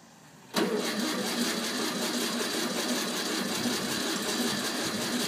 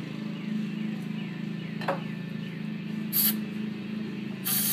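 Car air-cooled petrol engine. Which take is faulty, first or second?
first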